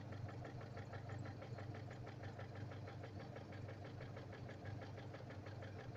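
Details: 491GW engine at steady idle: fast, even ticking knock riding on top at every turn from inside the engine; engine knock, source not pinned down.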